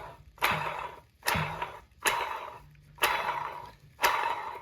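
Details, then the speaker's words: 2017 Toyota Highlander water pump removed, shaft spun by hand: dry scraping rush each flick, about once a second, fading as it slows; weak internal bearing rubbing, car made a strange noise running; water pump bearing wear, pump replaced. "when the car is running it's making a funny noise and um this is the water pump there's a bearing inside here when the bearing gets weak they start playing and they start rubbing against each other"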